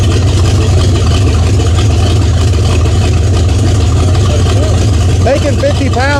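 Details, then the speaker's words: 1978 Chevy Nova big-block Chevy, stock manifolds and intake, first start after 21 years parked, open pipes: deep loud rumble, steady slightly lumpy idle beat; sounds healthy, owners suspect a hotter-than-stock cam. "Um but this thing sounds really healthy."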